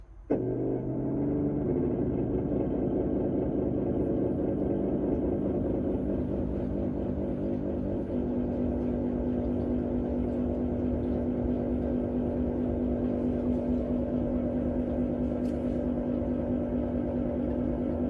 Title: Electrolux PERFECT CARE 800 loud noise...starts on 00:18